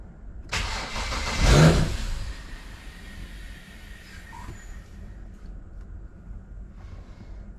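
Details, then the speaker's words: BMW N54 with newly installed fuel system (flex fuel, port injection, E10) at first start: cranks and catches with a brief surge, then sags into a weak uneven run that won't idle; owner suspects unplugged MAP sensor or oily plugs. "doesn't want to idle it's like it's not got a map s"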